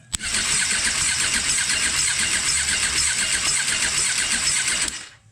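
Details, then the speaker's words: 2005 Suzuki Katana 750 bought cheap at Copart, wrecked with messy homemade wiring, cranked by jumping the starter solenoid: fast cranking about five seconds with an uneven beat, a skip, not smooth; cause unknown, compression check planned. "When you're cranking it over, there's a skip. You know, it's not smooth."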